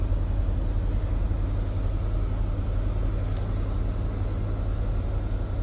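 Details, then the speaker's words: Buick Lucerne after replacing spark plugs and wires for a misfire: even steady low idle rumble with no stumble, steering wheel steady; no misfire, remaining code believed old. Starter sounded fine; a vacuum leak was suspected on start. "That feels fine. I don't feel a misfire. See that steering wheel sitting nice and steady."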